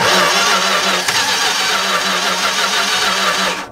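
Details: 1964 car with newly fitted 318 poly-head V8: steady cranking, faint even chug, no firing; coil spark good but one plug wire gave no spark and is suspected bad, fuel present in filter. Crank no start.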